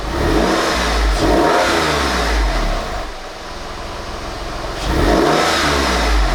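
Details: Salvage Porsche 996 911 flat-six after an oil change replacing decade-old oil: revs up cleanly, drops to a smooth idle, climbs again; no knocking or rattles, running healthy.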